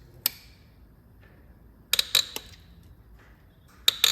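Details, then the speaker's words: BMW 3.0 L diesel, 10 mm glow plug being turned with lube, backed out and re-tightened: short bursts of sharp, high-pitched creaking and snapping as the plug seizes and binds in its thread, at risk of snapping. "get the lube into the threads not that I can see it helping that much at this moment in time uh it's just a terrible noise"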